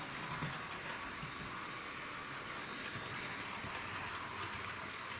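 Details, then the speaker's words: 2012 Hornby EWS Class 60 after gear fix and body refitted: soft, steady whir with no grinding, clicking or rattle, running nice and quietly; earlier noise was the gears. "running nice and quietly"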